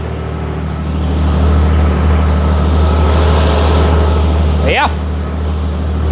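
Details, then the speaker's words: Jeep after exhaust manifold replacement and retightening all bolts: low, steady, even hum idling at 800 rpm with a brief chirp near the end; normal idle after the fix. "yeah idling steadily at 800"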